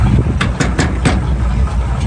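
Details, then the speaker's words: Original matching-numbers 1966 Chevrolet Impala with a four-barrel ("fer jet") carburetor, points, power steering and power brakes, idling. Deep, even V8 burble with a steady beat and no knocks or misses; runs smoothly. "runs nice and smooth got the H uh fer jet on it with Point still power steering power brakes that really runs nice and smooth"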